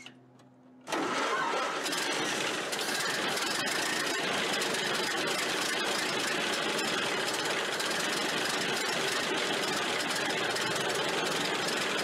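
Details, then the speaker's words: Ford Model A generator, rebuilt with new front bearing and brushes, refitted on car; engine started with cutout cap off, charging a steady 15 amps. Engine catches at once and runs steady and even, with no generator squeal or whine: earlier squealing gone, sounds healthy. "and the squealing noise is gone i haven't heard it yet so that's good"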